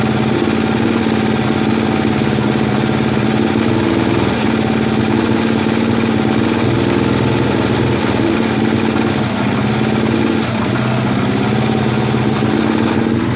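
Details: 1980 Kawasaki Z500 B motorcycle engine idling steadily with a fast ticking, knocking patter through the exhaust note; cause unknown.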